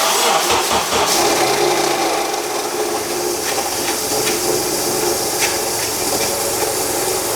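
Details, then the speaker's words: 2006 Honda CR-V engine bogging with loud harsh grinding screech, smoke appearing; traced to a wasted, seized AC compressor clutch dragging the accessory drive belt (compressor itself may be okay); power steering pump also bad. "Yeah, right there on the AC. Compressor clutch. Now, the compressor may still be okay. It may just be the clutch that's wasted, but this clutch is certainly wasted. And this is the reason why the engine was bogging down and everything else."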